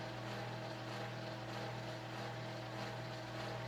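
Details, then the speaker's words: Circa 1982-83 Panama Fan Co gear-driven 52" plastic ceiling fan running: constant low hum with droning whine and rumble over hissy background, like a washing machine; the tiny gear-drive motor and flywheel assembly make the noise. "you can clearly see and hear though why this is definitely not something that anybody in their right mind would have kept hanging or used because it sounds horrific"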